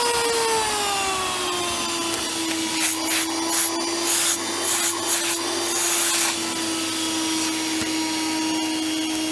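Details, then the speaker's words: Miele S7260 (S7 series) vacuum cleaner after new motor bearings: loud high whine dropping slightly in pitch and holding, harsh rough edge; a bit better but worn carbon brushes make it sound awful and run hot, no post-motor filter fitted. "a little bit better but the carbons about this doesn't help despite the fad being clean it sounds awful and runs hot but it does run"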